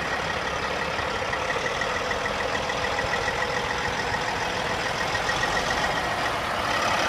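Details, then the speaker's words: 2005 Sterling LT9513 dump truck, CAT C15 475 hp diesel, 616,237 km and 17,560 engine hours: starts nicely into a steady, even idle with a smooth low rumble and no knocks, misses or rattles; sounds healthy. "Everything looks like it's working. It starts nicely. It sounds good."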